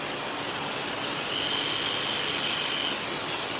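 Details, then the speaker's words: Pet grooming clipper after blade sharpening: harsh, hissing high buzz, too noisy because the blade tension tab is loose; fix is squeezing the tab tighter with a measuring tool to quiet it. "Noisy. We need to tighten up. We got a little special measuring tool for that tab. Just a little squeeze and it should be a little bit quieter."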